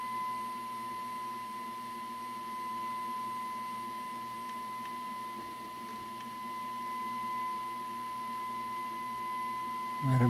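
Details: 1941 Crosley B36-BS battery DC tube radio on a battery eliminator during IF alignment: pure steady tone near 1 kHz over faint hum, swelling as the IF can is tuned for peak volume; IF alignment test tone.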